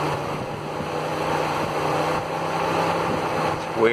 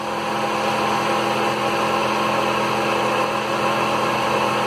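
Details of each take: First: 2000s Mitsubishi, driven daily a few hundred miles: with only ignition on, both cooling fans run with steady airy whoosh, speeding up and down; failing cooling fan controller, about to be replaced. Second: 2000s-era Mitsubishi after cooling fan controller replacement (old one kept fans running whenever ignition was on): engine started, AC on, both radiator fans spin up with a strong steady rush of air and even hum, no rattle; normal fan operation, fixed.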